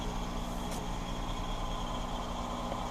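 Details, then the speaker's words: 2005 Ford Escape after fuel filter install, check light now off: engine hums steadily and evenly with no misses, knocks or hesitation; running normally. "Who knows? But it sounds like it runs good, as you can hear."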